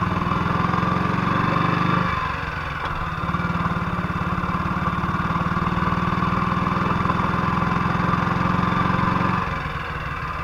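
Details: 1958 BSA C12 single on a road test after its misfire was fixed: a steady, even beat with no skips or stumbles as it pulls and settles. The misfire is gone and it sounds like it used to.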